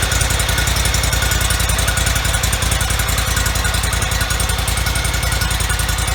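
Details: 2004 Toro Z553 mower, Kohler Command CH23 23 hp V-twin, about 453 hours, after replacing the popped-out PTO-side oil seal, some bolts left loose: steady, even beat at fast idle with firm low thump, no knocks or misses; runs smoothly.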